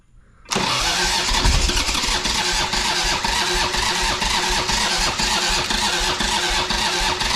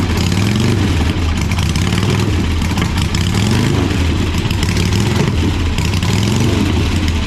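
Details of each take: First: 1985 Harley-Davidson Sportster Ironhead V-twin, sat outside a long time, first start attempt after oil added: fast steady starter churn with occasional uneven firing pulses, trying to catch but never settling; cranking with intermittent firing, close but not running yet. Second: 1985 Harley-Davidson Sportster Ironhead V-twin, sat outside a long time: loud loping low rumble with an uneven but steady beat, no misses or knocks; normal idle, sounds like a good motor though the oil filter was destroyed.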